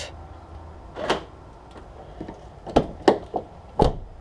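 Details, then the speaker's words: 1994 Peugeot 306 infrared central locking operated by the repaired remote on a temporary battery rig; a few short, soft, loose clicks over about three seconds; normal central locking actuation. "here we go it's like a loose soft click locked"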